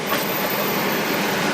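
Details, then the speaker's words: Chevy Astro van with failing brakes, brake light on and a clunking, popping sound; on jack stands in reverse, rear wheels off the ground: a continuous harsh scraping rush from one rear wheel that barely turns. Dragging wheel, cause suspected, not confirmed. "This wheel is not, this is where all the noise is coming from. This wheel does not want to turn."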